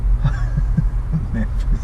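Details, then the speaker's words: Foxbody Mustang with a hidden spare-tire subwoofer box and amps, engine running, everything reportedly well grounded: low steady hum with a soft throb about three times a second through the speakers; engine noise in the car audio, owner plans an inline noise filter. "actually have a lot of engine noise that's coming through this radio don't know what the problem with it is honestly everything is grounded great"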